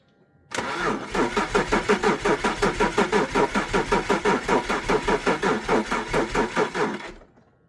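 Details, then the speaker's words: BMW E46 330Ci that sat since about 2019, fresh oil, radiator filled with water, on 5-year-old fuel: cranking with a fuse pulled to build oil pressure. Even starter pulses for six seconds and the engine never fires. "I just want the oil to basically pump around for now, so it's just gonna go wah, wah, wah, wah, wah, and nothing, and then we'll hopefully get oil pressure around and then give it some gas."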